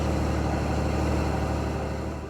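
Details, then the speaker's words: Helicopter piston engine at idle after replacing a carburetor that had a missing plug causing an air leak after the butterfly valve (earlier rough idle, surging, low RPM): even steady low drone with no hunting; now idling smoothly. "We swapped the other carb, ran it again, and it purred."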